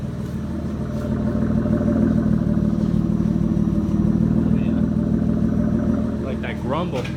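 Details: Mitsubishi 3000GT (GTO), before an oil change, with a slightly leaking oil pan gasket and a starter that clicks badly; steady, low, even grumble at idle with no knocks or misses and passing street noise near the end, healthy.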